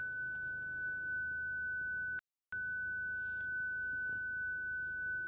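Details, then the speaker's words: 2013 BMW 520d (F10), 193,748 km, driving: steady unbroken high parking-sensor beep because a license plate was placed in front of a sensor; continuous tone from an obstructed parking sensor. "소리가 왜 나나 했더니 번호판 끼워놔가지고 이 소리가 계속 나네요."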